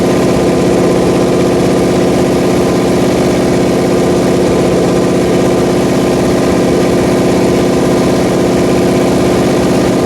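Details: Pontiac 400 V8 on a homemade engine run stand during its second cam break-in, on the fast idle cam; steady, even fast idle with a smooth firing beat and no knock or ticking, running healthy.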